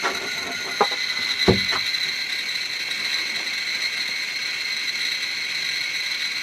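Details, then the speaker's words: Chinese BR-6B Geiger counter placed directly on a strontium-90 check source: clicks merge into a steady high-pitched buzz with no gaps; meter saturated at its 99.99 µSv/h maximum. "and there we go the meter has reached its capacity so if you can see that it says 99.99 microsieverts an hour"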